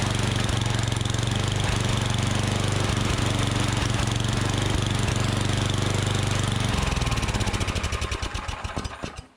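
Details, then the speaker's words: Unmaintained Troy-Bilt Storm 7524 snowblower that wouldn't run on gas: on starting fluid it chugs on a fast steady beat briefly, then slows and dies as the spray burns off; carburetor starving it of fuel, to be cleaned. "Okay, so I do want to show you something before I get too far into this to let you know that it is a fuel-related issue for sure."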